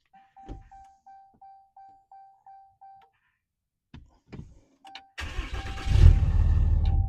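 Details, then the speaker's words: RAM 6.7L Cummins diesel after changing both fuel filters. Several short cranking bursts with pauses, then it catches into a rough chugging idle as air is purged from the fuel system. "All right, she's gonna give a little chug a lug, but you let it crank for a second, turn it back off, crank it for a second, turn it back off, do that a couple times, and then you get the fuel pumping back into the system."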